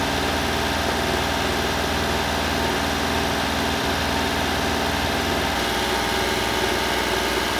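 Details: 1996 Honda Acty mini truck, 660cc 4WD, cold start: a couple of small revs, then a steady, slightly raised idle with an even beat, high because it's cold; should idle down once warm. Normal cold fast idle.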